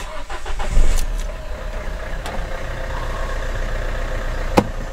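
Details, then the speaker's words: Renault Kangoo, 343k mileage, after replacing alternator overrunning clutch and belt for loud cold-start noise: short crank catches cleanly into a quiet even idle, no knocking or belt noise; charging 14.6 V. "Ну всё отлично масла у нас там хватает"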